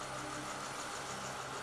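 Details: 1986 Oldsmobile Toronado with Buick 3800 V6 (137 hp), a parts car, engine bay shown: quiet, smooth idle with an even hum and no knocks or misses; healthy engine.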